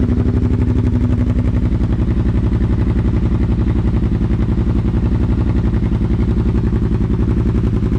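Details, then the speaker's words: Kawasaki Brute Force 750 ATV with BigGun Evo aftermarket exhaust, stock muffler removed, no tuner yet: deep steady thumping exhaust note at fast even idle, loud but clean, no misses or knocks; normal running. "well i think that sounds like it sounds pretty freaking nice"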